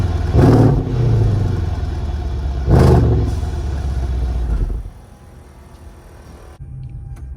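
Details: Copart auction Mercedes CLS 63 AMG heard from the rear: two deep throaty revs rising and falling cleanly, then settling to a low idle. It has tire-pressure and auxiliary-battery faults and is low on gas. Exhaust sounds healthy, with no rattles.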